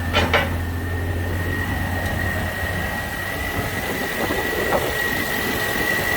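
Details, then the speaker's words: Pontiac Vibe after an engine swap, with a 90,000-mile engine from a wrecked Corolla, first start: smooth, even idle with a thin alternator whistle that suggests a weak battery. The engine sounds normal. "all right we've got daytime running lights motor sounds good"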